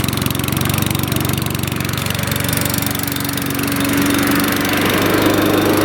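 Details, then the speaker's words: Troy-Bilt CSV 060 chipper shredder vac, Chinese MTD single-cylinder engine, full tank, burns no oil, about 30 degrees outdoors: engine catches and runs evenly, speed rising smoothly to a steady buzz, no knocks or misses; normal running. "she's got a full tank of gas doesn't burn a drop of oil this good motor it's a Chinese MTD brand engine"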